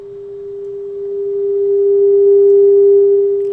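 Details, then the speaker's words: Hallicrafters SX-42 receiver audio amplifier after rewiring it to the schematic: a steady, pure tone around 400 Hz with no hum, crackle or distortion. The amplifier output is clean and working properly, though the receiver is still weak. "and it's really clean sounds really good so i think we're good with that now"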